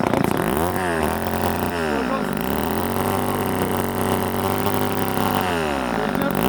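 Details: Old Ohlsson & Rice chainsaw, sat 20+ years, after blowing it out restored fuel: revs up and drops back repeatedly with a crisp steady buzz between, running smoothly without stalling or stumbling.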